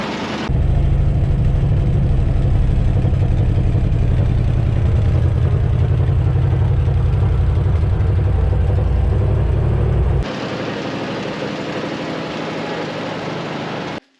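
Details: Long-sitting Dodge W300 4x4 dump truck V8, revived with new brake cylinder; deep steady idle with even low pulse, then quieter smooth run, no misses or knocks, sounds healthy.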